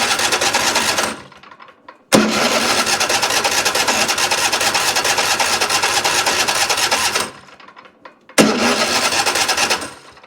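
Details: Troy-Bilt riding mower with Kohler 7000 engine: starter churns the engine over in long bursts with quiet gaps, never catching; cranks but won't start despite choke adjusted and plenty of fuel reaching the carburetor.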